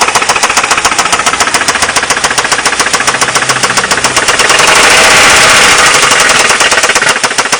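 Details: Ford Mondeo Mk3 1.8 at steady idle: loud, hard metallic rattle at about three to four beats a second; engine rattle, cause unknown.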